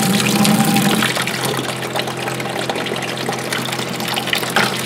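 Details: 12-volt water pump on an overland Jeep (switched from under-dash panel alongside twin ARB compressor): steady rush of running water over a light pump whir, even and uninterrupted; normal water pump operation.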